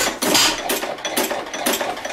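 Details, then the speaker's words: Old 2.5 hp hit-and-miss engine, started with choke: sharp, evenly spaced firing pops about twice a second with clean mechanical clatter; running well. "So that's the hit and miss engine. She sounds pretty nice."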